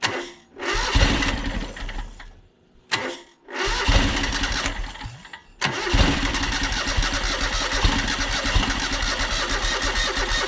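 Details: John Deere X485 lawn tractor project, fresh fuel after condensation in tank, plugs checked; several short cranking bursts stumble and die before catching to ragged idle; weak battery, owner suspects fuel starvation, possibly tank air pressure.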